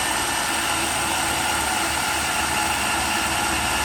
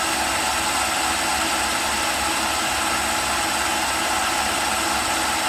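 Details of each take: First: Makita drill on a test rig, powered by new battery pack A, fully charged the day before. Steady high motor whine at full speed with no bogging. Output is a full 12 V at about 7.5–8.5 A. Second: Makita drill on a test rig, about three minutes into a run on a comparison battery pack. Steady high whine sagging slightly as the drill slows. It reads 11.6 V and 9.2 A, the voltage starting to drop.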